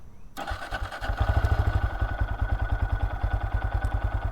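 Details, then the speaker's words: Bone-stock 2023 Honda Grom 5-speed with 48 miles, cold start: the starter catches quickly, then a soft, even low thump settles into a very quiet, steady idle with no knocks or rattles; a healthy start. "Let's get this thing started up for you all so you can hear just how quiet this thing is."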